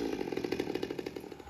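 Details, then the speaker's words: Stihl MS200T chainsaw after about four hours of repair including a leaking plug seal found by pressure/vacuum test: dry-carb cold start on choke, steady two-stroke buzz with even firing, no stumbling, sharp rev at end. "dry carb cold start in a perfect world it's usually like the fifth pull on on choke that sounds better already"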